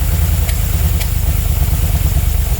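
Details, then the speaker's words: 1970s barn-find Aston Martin Lagonda V8, just revived: lumpy idle with irregular beat and stumbles; suspected air leaks needing new gaskets and carb imbalance causing the hesitation, not confirmed. "cuz it's it's certainly taking air from uh from around everywhere you can hear it yeah you can I thought that as well it was this this one and this one which will be the imbalance that sort of hesitation yeah is is to be expected"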